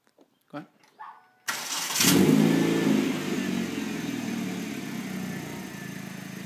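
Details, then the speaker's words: 2004 Kia Spectra5 2.0 L (with a known exhaust leak) after idle air control valve fix for rough, erratic high idle: cranks, catches, flares, then settles to smooth, even idle; runs normally. "and just like that runs perfect looking good"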